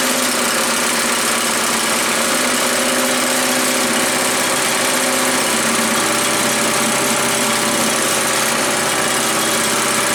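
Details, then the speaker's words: Earthquake chipper/shredder with Viper 212 engine (resembles Harbor Freight Predator), first start after purchase: small single-cylinder runs steady at high speed, even and smooth, no knocks or misses; runs healthy. "well it sounds like it runs pretty good I would say we go out in the yard and throw some limbs in it and see if it's going to chop anything up"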